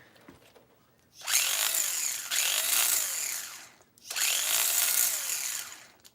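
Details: Old brushed electric LST RC car on 7.2 V battery instead of possibly 6 V, after adjustment; two clean bursts of high whirring rising and falling with throttle, no grinding or stutter; brushed motor sounds healthy.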